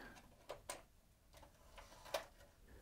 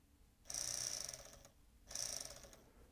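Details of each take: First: Sony MiniDisc deck with working mechanism transplanted from the other machine: soft clicks and whirs as the disc loads and is read as blank; mechanism works normally, display very dim. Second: Sony MiniDisc deck (MDS-JE510/JE320) 12 V sled motor fed about 8 V from bench supply: two bursts of thin high whirring, motor spins but doesn't engage the worm gear; suspected slipped cog or worn nylon gear.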